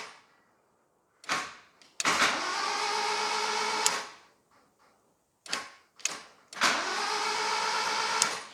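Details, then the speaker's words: Rare 1980s turbo Toyota, cranked via screwdriver after fitting the older, larger starter motor in place of the one that jammed with a clunk: two bursts of even, steady cranking, no jam, sounding healthy. "there we go okay so we have rotation which is fantastic um sounds relatively healthy which is good"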